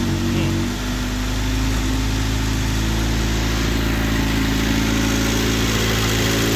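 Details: Honda Civic hatchback with a stock B20B high-compression swap, stock manifold and GSR transmission, fire-up with exhaust not fully bolted down; loud, even idle with raw open exhaust note, steady rhythm, no knocks or misfires; normal idle.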